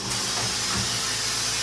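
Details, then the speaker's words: Meyer ice cream machine, product cylinder retracting after the retract button is pressed to replace an empty bag: a steady, even airy vacuum hiss with no pulsing or rattle. This is normal, and the cylinder can be pulled forward once the hiss stops or slows. "Again, you'll hear the air vacuum the machine down. Once that stops or slows, you can pull the cylinders forward."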